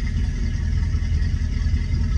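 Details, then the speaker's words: Twin-inboard boat idling at 700 rpm as the exhaust refills: deep, steady low rumble with even beat, no misses or knocks; water begins spilling out, same flow as the other side; healthy idle. "It's starting to spill out a little bit here. Here it comes. As it fills up, gets to the top of that bottom of that pipe, and the water comes out. That's the flow you're going to get at 700 RPMs."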